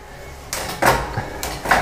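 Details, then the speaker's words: Bicycle drivetrain, gear shifted while pedalling hard under load: two or three sharp clacks as the chain jumps cogs. "I can do the the gear change under the load you can hear that"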